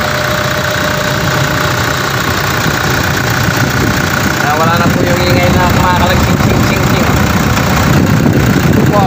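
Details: Engine at idle after the alternator was refitted and clipped centered: steady, even idle with no loose ringing or rattling from the belt area; the noise is gone, healthy.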